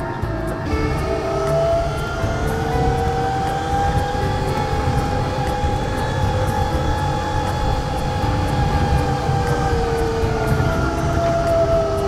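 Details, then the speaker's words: 1968 Toyota Stout EV conversion, Motenergy ME1004 motor, Kelly KDZ-E 72801 72V 800A controller, BYD 48V LFP batteries, climbing hills in second: motor whine holds mid pitch, sagging under load over road rumble; struggling. "the talk on these Hills though that's second oh it's struggling [Music] a little more powerful motor in the next one I think"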